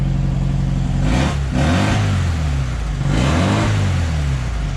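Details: VW Baja Bug air-cooled engine after a fuel system repair and tachometer install, with good oil pressure: a steady low chug rising and falling with a couple of throttle blips. It runs even, smooth and healthy.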